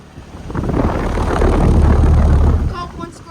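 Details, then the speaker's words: 2007 Bryant R-410A air conditioner condenser running with a heavy low drone and a rattle about four beats a second; a badly bent condenser fan blade is striking and must be replaced. "one of the blades is bent really bad really understand it 2007 stop the noise right the fan blade has to be replaced"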